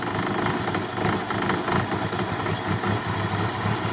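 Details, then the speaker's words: LuAZ after repair of loose, unscrewed parts, choke still on, warming; steady, even idle with light mechanical patter over the exhaust, no misses or knocks, running well enough to drive. "Не, ну хоть уже работает, можно двигаться. Да. Красота."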